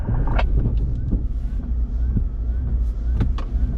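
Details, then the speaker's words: Jeep with front and rear lockers driving slowly after a trail run: irregular heavy clunks and a wavering whine. Clearly from the rear axle; owner suspects a snapped rear pinion or rear diff failure, not confirmed. "What was that? That sounded horrendous. Try and drive a little bit. It might be your rear pinion snap, maybe."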